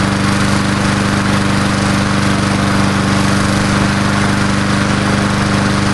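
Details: Old Murray Dynamark 22 mower, 3.75hp Briggs & Stratton, just started after about seven years stored, fresh gas: single-cylinder chugging at an even fast idle with constant low drone, no misses or knocks; normal idle.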